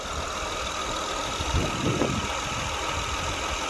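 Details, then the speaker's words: After power steering repair (steering rack replaced), engine idling: steady even hum with no whine or groan from steering pump, no bubbles in fluid; power steering now quiet and light, normal. "so that powered steering it's finally so much better i could do this with a pinky now there's no more noise"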